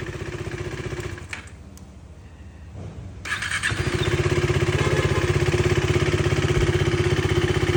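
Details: KTM Duke 390 engine noise problem: catches after a brief crank and settles into a fast, even beat with a light tappety rattle; source not pinned down.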